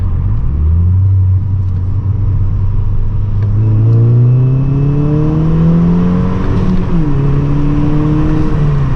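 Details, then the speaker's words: 2012 MK6 VW GTI 2.0T after fitting a Go Fast Bits DV+ diverter valve, accelerating hard in second: rising engine note with turbo spooling cleanly and no whistle or scream; the earlier leaking factory diverter valve noise is gone. "And I don't hear, you can hear the turbo, but we're not hearing that crazy like whistling sound, like that scream."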